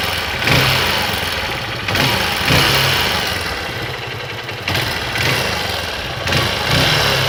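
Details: Honda XR 150 L motorcycle engine at idle: uneven surging with a catch roughly every second or two. Unidentified engine noise at idle.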